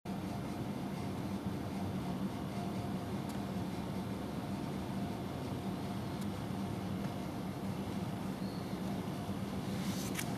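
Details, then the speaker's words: Motor of a 1996 Grizzly G1023 3 HP 220 VAC cabinet table saw, likely original 6203Z and 6205Z bearings: steady hum with a rough, slightly gritty rumble, not grinding but not smooth; worn motor bearings to be replaced. "I think the bearings are a little bad if you can if you can hear that there's there they're not grinding but they're definitely not smooth so I'm gonna replace the bearings in this motor"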